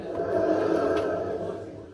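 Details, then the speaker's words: Drum bearings on a family friend's mate's washing machine are completely shot: a dense, gravelly roar from the spinning drum that fades as it slows; the spider is fine. "them bearings are shot, like completely shot."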